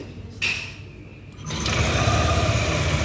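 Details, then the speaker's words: Yamaha Aerox after a full reassembly with new parts, having earlier failed to start and sounded rough when cranking (timing chain came off): brief starter whirr, quick catch, then a smooth, quiet idle. Normal start. "Oke. Motor sudah menyala ya, suara mesin sudah halus ya."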